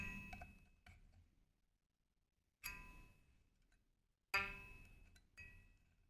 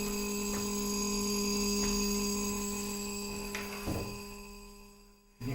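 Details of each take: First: Shruti box G reed after repair: short clear pings ringing cleanly with no buzz or rattle; the buzz came from the reed tongue touching the surface, fixed by straightening the tongue from both sides. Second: Shruti box G reed giving a steady low drone with a thin edgy buzz; the reed tongue is touching its frame, unlike the other reeds.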